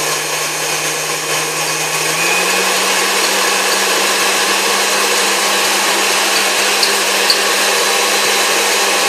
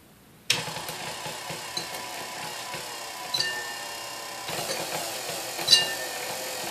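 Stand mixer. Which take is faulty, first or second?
second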